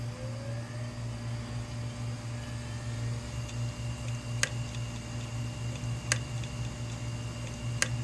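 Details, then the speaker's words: Failing hard drive powered up right after 18 hours in a freezer: a steady spin-up whir, then sharp head clicks about every second and a half. "Okay, you hear the head clicking. That's that ticking sound."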